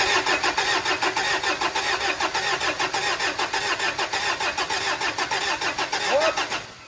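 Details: Mitsubishi Montero diesel that would not start, after refitting its four original fuel injectors: cranks steadily at about 100 beats a minute, then catches and fires.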